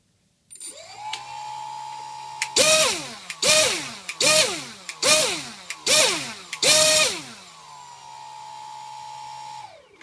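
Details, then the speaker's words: Pixhawk flight controller powered from the speed controller's BEC with the power module removed, single ESC driving a 2200 kV brushless motor on the ground; steady idle whine and six clean throttle bursts, no stutter or sync issues detected. "now i'm just powering the pixock from the bec of the speed controller now for some reason this combo is fine i can't detect any sync issues on the ground at least"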